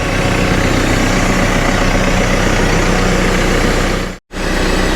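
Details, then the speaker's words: Cat TL1055C telehandler diesel after turbo replacement for failed compressor shaft seals and oil change, warming up while checked for leaks: steady even diesel clatter at idle, no knocks, whistles or surging; normal idle. "okay so this guy's been running for quite a while now"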